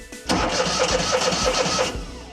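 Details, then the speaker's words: Terramite T5C backhoe Kohler Command engine, after stator and voltage regulator replacement, sat a while with uncertain battery: starter cranks at an even pace with evenly spaced compression strokes, then catches and fires cleanly; sounds like it always did. "That sounds just fine. Sounds like it always did."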